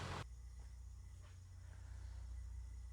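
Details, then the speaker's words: 1997 Ford 7.3 Powerstroke diesel, 169,000 miles, just started after new terminals and dual Optima Red Top batteries: low, even diesel rumble, no stumbles or knocks; smooth healthy idle. "Holy crap, that started really nice. Wow. That is a night and day difference. She is still purring at 169,000 miles."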